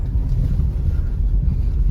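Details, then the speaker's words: Honda City driving on the road after double-tape packing and sound-deadening of trim against a rattle that had become unbearable; steady low road rumble and wind rush, no ticks or rattles from the upper cabin now. "अभी देखते आवाज़ ए रही है की नहीं ऊपर की हिस्से से तो बिल्कुल नहीं ए रही आवाज़ फिलहाल के लिए तो"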